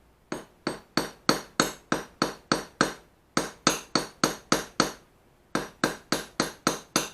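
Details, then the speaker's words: Japanese plane back blade during ura-dashi, held pressed firm: crisp, even light pecking taps about three a second in short runs, no dull rattle — correct; one heavy blow cracks it easily, especially in cold weather. "살살 살사 치대 치는게 아니라 찍는다는 생각으로 3차 살 찌찌 거지는 겁니다 찍어주고 여러분을 찍어줘야 지 한 번에 과도한 힘을 주면 깨지기 아 굉장히 쉽습니다"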